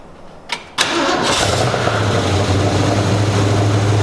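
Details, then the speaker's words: 1965 Ford Mustang V8 with a new 2½-inch true dual exhaust, carbureted, on a cold start: a brief crank, then an uneven loping idle with a wavering beat and smoke from oil on the new pipes. The rough idle was later traced to a misrouted PCV. "But it sounds good. It sounds like a car. We got to work on the idle. The idle's not quite right, just with this carburetor an"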